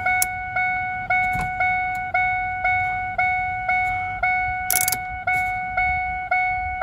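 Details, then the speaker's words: 2002 Ford F150, key out with radio staying on: warning chime dings regularly with wipers off, but turning wipers on makes the rhythm irregular with extra hits; fault in the wiper motor circuit causing it. "i get a regular ding with them off something's going on in that wiper circuit that's causing this"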